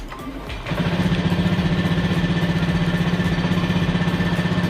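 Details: Honda PGM-FI motorcycle after ECM reset, MIL blink normal and fuel pump heard: fires quickly after brief crank and settles into even steady idle pulse, no misses; normal start and idle.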